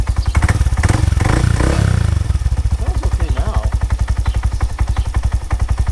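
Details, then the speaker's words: Honda Grom single-cylinder, ridden hard and mostly wide open, idling after a valve adjustment that found the valves fine. A loose, uneven clatter on each firing pulse is louder than before; the owner suspects the cam chain or low-end bearings. "i'm making a little noise i hope it's the valves gosh i don't know if it's a chain loosened up on me or something but it's making a lot more noise than it used to"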